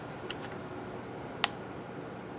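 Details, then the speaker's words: Nintendo 2DS from an Amazon-return repair lot: faint ticks, then a sharp loud pop at power-on. This "screen pop" indicates a bad screen, which seems to be the most common failure on these units. "guys hear that i call that the screen pop and that you know again that means that the screen is bad"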